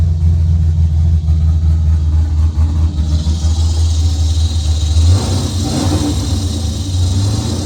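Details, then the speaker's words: Car reassembled after suspected off-center transmission rear cover, in neutral, no tune: deep, loud, unmuffled rumble holding steady, clean pickup on a throttle blip and settling back. It had only needed some gas pedal to start and is now running healthy. "Now that's done. What it was needed gas. Has no tune, so we had to give it a little bit of gas pedal to get it going. And once you got it going, it would go."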